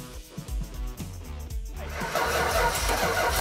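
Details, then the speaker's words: 1970 Dodge Challenger R/T 440 Magnum 4-speed V8, long-sitting car started with a little gas added; starter cranks about two seconds, then catches and settles into a strong, even roar: clean normal start and run. "now we got fire sounds good huh"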